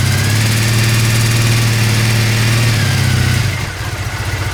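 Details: Old Triumph twin motorbike from a shed find, cold start with filthy exhausts and oil unchecked: steady, even cold idle with a firm low thrum, rhythm slightly lumpy but running cleanly. Sounds healthy.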